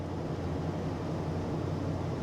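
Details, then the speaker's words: 2008 Nissan Titan, crank-no-start fixed by replacing a bad aftermarket crank sensor with a genuine OEM one, cold morning around 30 degrees: engine runs smoothly with a steady even low drone, no stumble or misfire. "But either way, a real OEM crank sensor has it going."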